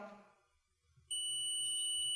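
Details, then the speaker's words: Mobile phone speaker tested with a digital multimeter on continuity/beep setting: steady high-pitched continuity beep with 29 ohms on display, within the expected 16–32 ohm range, so the speaker is good. "अभी display पे 29 reading दिखाई दे रही है और continuity की आवाज भी आ रही है। इसका मतलब क्या, ये स्पीकर सही है।"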